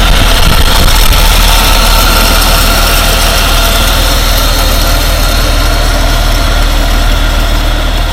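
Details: 1947 Dodge engine idling steadily and evenly, warm, with no misses or knocks, after carburettor work for fuel-supply problems and reluctant starting; owner cautions warm running may be a false dawn.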